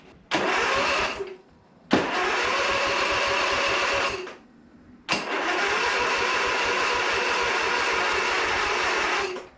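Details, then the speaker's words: Briggs & Stratton V-twin in a Husqvarna Z246 zero-turn mower, first crank after splitting the crankcase and adjusting the governor, with fuel disconnected: three bursts of steady, even cranking, no knocks or scraping; it spins over cleanly. "okay so this is the first crank after putting everything back together hopefully I didn't forget anything and the gas is not hooked up cuz I don't want it to run yet"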